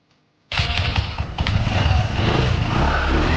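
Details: Scooter after rear gearbox repair (leaked gear oil, dislodged seal, all six bearings replaced, new belt, CVT cleaned and greased): engine starts and settles into a steady low rumble, with the earlier high-rpm whine gone.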